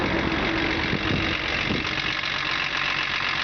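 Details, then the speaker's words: BMW 325 tds E36 diesel idling after the loose power steering pump pulley bolts were tightened with threadlocker: steady normal diesel clatter, with the earlier clanking knock gone. "Вот завел машину, ничего не стучит, ничего не шумит. То есть дизель работает ровно."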